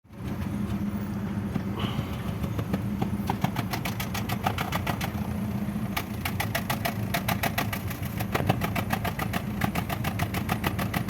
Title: Cómo se escucha un misfire en tu motor???